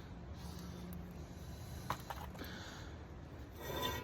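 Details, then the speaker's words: 2012 Infiniti M37, about 172,000–173,000 miles, driver's front hub spun by hand with caliper removed after brake grinding: quiet gritty rubbing hiss with faint hum; owner suspects a worn wheel bearing, not confirmed. "it feels a little feels a little odd um 172,000 miles 173,000 it's probably due just to recap on this Infiniti um I went ahead and and ordered the uh the bearing"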